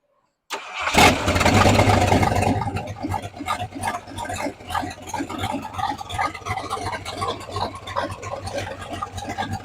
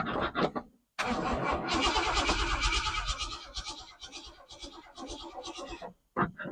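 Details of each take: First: 1968 Ford F100 V8 with Holley carburetor, first start after sitting over 5 years, fed from a temporary boat fuel tank after fuel lines were corrected; starter cranks briefly, catches with a loud flare, then settles to a steady, loping, even idle. Normal V8 idle. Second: 1968 Ford F100, sat over 5 years, with a newly installed Holley carburetor, fresh battery and temporary boat fuel tank; first key cranking, about three turns a second, never catches; not enough fuel pumped to the carb; crank no start, fuel starvation.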